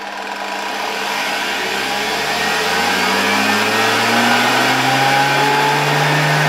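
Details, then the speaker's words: 1987 Zelmer 200.8 vacuum cleaner, original type 300 motor with new brushes, probably still below 100 V on the regulator. Whine climbs in pitch as voltage rises, with harsh crackling hiss; heavy brush sparking that should not happen, worse expected at 230 V. "nie no tak nie powinien ten ten silnik w żadnym wypadku iskrzyć a my w ogóle doszliśmy jeszcze myślę że nawet do 100 vol nie doszliśmy"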